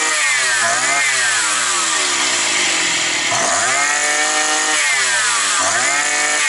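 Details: Likely 52cc petrol brush cutter that started then stalled, probably after sitting over winter; the cause was gunk in it. After cleaning, with no air filter fitted yet, the revs climb and fall several times with a clean, crisp howl and never stall.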